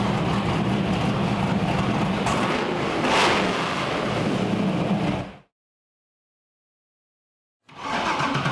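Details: LS V8 Ultra 4 off-road buggy on the dyno, very loose torque converter: deep, steady V8 burble with even beat, no misses, then cuts off cleanly. Normal idle.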